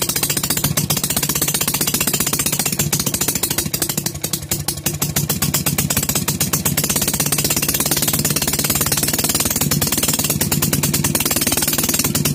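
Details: Maytag Model 72 single-cylinder engine, first start after full rebuild with new rings: pops along fast and keeps running on its own without dying; expected to improve as rings seat.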